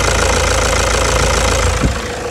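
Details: 2009 Toyota Hilux diesel after replacing a faulty, sticking injector that had caused knocking: even idle clatter at a steady pace with no harsh irregular knock standing out; idling properly.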